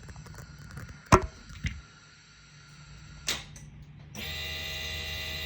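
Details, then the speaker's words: 2017 Triumph Bonneville T100, about 1,100 miles, with a new battery: pressing start gives a couple of sharp clicks and a steady electric hum, with no cranking or firing. Owner suspects the starter solenoid or a fuse. "I can hear the noise but nothing else happens that's what happens"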